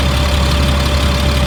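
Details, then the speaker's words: 2004 Blue Bird All American 72-passenger school bus, Cat diesel, warm after running about an hour, not overheated: steady, even low diesel idle rumble with a faint constant hum, no knocking or hunting; sounds good. "motor sounds good it's been running for about an hour"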